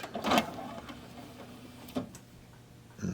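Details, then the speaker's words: Apex AD-1500 DVD player with intermittent tray fault: faint motor whir with clicks at start and stop as tray slides out and stays open; fault not showing this time, cause unconfirmed. "okay this one must have been sitting around for a while because now it wants to stay open just for you know what giggles"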